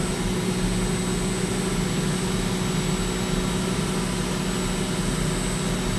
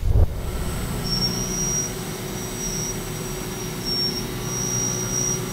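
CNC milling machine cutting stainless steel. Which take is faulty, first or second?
second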